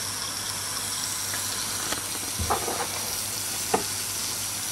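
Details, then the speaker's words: Recently acquired Mamod SE3 toy steam engine, cleaned and tightened, heated by a square brass burner. As the boiler comes up to pressure there is a steady soft hiss with sputters: steam leaks around the whistle fitting, and the safety-valve washer also lets some steam out. "bit of a leak around the whistle"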